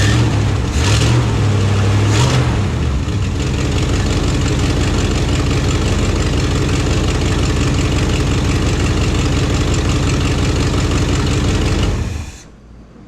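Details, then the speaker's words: 1974 Plymouth Satellite V8 after carburetor swap, backfired through the carb once: uneven, lumpy idle with puffing from a leaking exhaust manifold before shutting off; needs tune-up and carb rebuild. "i can see man that exhaust leaks about annoying in it so we got that exhaust leak"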